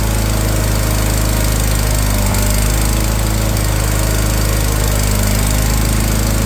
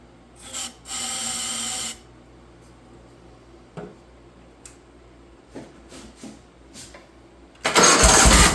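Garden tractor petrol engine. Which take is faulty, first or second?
second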